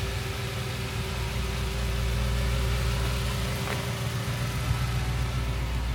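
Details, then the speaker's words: Audi S4 started and driven for the first time since bodywork and MOT-prep repairs; steady, even engine note with smooth low hum, no knocks or misses; sounds mint, normal running engine. "it's m Voyage sounds mint unbelievably it drove"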